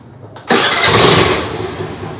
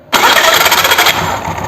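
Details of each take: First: Hero Honda Activa scooter restarted after fixing the self-starter: one push fires it immediately into a smooth, even idle; the earlier loud grinding at starting, caused by a bent crankshaft-side starter drive, is now controlled without splitting the engine. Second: Hero Honda scooter, clutch cover off, self-starter engaged: a harsh, gritty grind lasting about a second. The crankshaft wobbles (ovality) instead of spinning straight, so the starter wheel rubs against the bendix. Noise occurs only on self-start.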